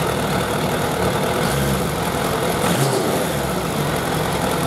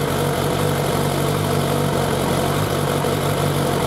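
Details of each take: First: Suzuki Bandit 1200 four-carburettor naked bike at hot idle during carburettor synchronisation; even, steady smooth hum with no stumbling or hunting, four cylinders well balanced, a normal idle. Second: Suzuki Bandit 1200 four-carburettor naked bike at idle, warming up before carburettor synchronisation; steady mid-pitched idle with a fairly even pulse and no obvious misfire, a normal warm-up idle.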